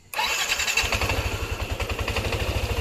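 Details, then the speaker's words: Yamaha NMAX scooter, previously noisy tek-tek from rocker arm/camshaft area, after repair with tensioner working properly: catches at once, settles into an even, smooth idle with no top-end ticking; normal idle. "Sepedanya sudah selesai dan sekarang berjalan mulus. Halus, mesinnya aman dan halus"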